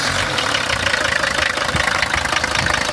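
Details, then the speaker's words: 1981 Mercedes-Benz W123 300D taxi, five-cylinder diesel, manual four-speed, about 1 million km: the engine idles with a steady, even clatter and a firm rhythmic knock, nothing out of place, and sounds healthy. Injector checks are planned. "No piękna sprawa, naprawdę zarąbiście brzmi ten silnik."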